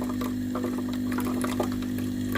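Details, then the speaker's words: Philips GC9622/20 steam iron, boiler cap removed for testing: steady low buzzing hum with even ticking and a trickle of water into the boiler; pump running and delivering water normally. "ได้ยินเสียงปั๊มนะครับผมจะมีน้ำออกมานะครับที่ตัวหม้อต้มนะครับ"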